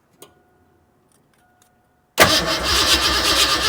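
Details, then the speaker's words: Fox-body Ford Mustang with 30-35 psi fuel pressure, spark confirmed, fresh fuel and new filter, fuel smell at one side: steady fast cranking for a couple of seconds that never fires; crank no start, injectors suspected not pulsing. "So we smell a bit of fuel on that side, but it definitely should have just lit right up."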